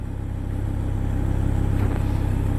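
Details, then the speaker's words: Volvo V70R, cold start: engine idles low and rough, a solenoid clicks in the engine bay then the revs hunt for about five seconds before settling; cold start idle surging, a new symptom. "okay so a new symptom cold when you put a car and drive it's now surging so you can hear it's doing it now it's when it goes you can hear a solenoid click"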